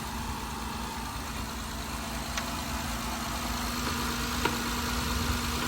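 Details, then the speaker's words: 2012 Honda Odyssey after rocker arm oil pressure switch replacement for code P3400 and an oil change: smooth, even idle with no knocking or ticking; healthy. "this vehicle all set we fix the problem we're going to start it up here you go it's brand new again"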